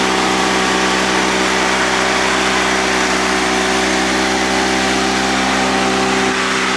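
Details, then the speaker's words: Honda 3813 liquid-cooled lawn tractor with a GX360K1 engine, started after priming the fuel pump: smooth, even running at a steady pitch with no knocks or misses, sounding more like a Honda car engine than a mower. Healthy. "tell, it doesn't even sound like a mower engine. These things are so closely related to the Honda car engines, it's no surprise that it sounds like one."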